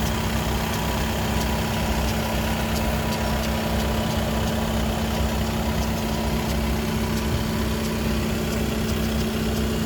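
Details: Skoda Octavia 3 (5E) RS 2.0 TDI with DSG: steady diesel idle with constant low hum and faint ticking, heard from the DSG gearbox only when engine/gearbox is hot; official Skoda workshop could not determine the cause.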